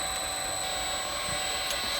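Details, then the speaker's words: Inverter-driven CNC spindle run unloaded at low speed while a current clamp on one motor winding is monitored, before a stall test by hand: a smooth, constant high-pitched whine. Normal unloaded running. "So the spindle's running, and we've got our waveform down there."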